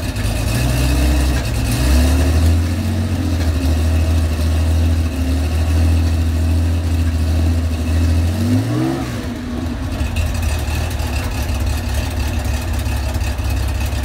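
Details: 35-year-old Porsche 911 SC 3.3 widebody with M&K exhaust headers and PMO carbs, cold start: uneven popping while blipped, lumpy idle, smells rich; backfiring when cold, cause not yet found.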